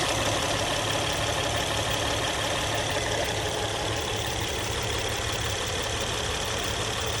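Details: Engine idling after its hydraulic tensioner was replaced: an even, steady idle with a soft, unbroken hiss and no rattle or tapping. The earlier noise is gone and the engine sounds healthy.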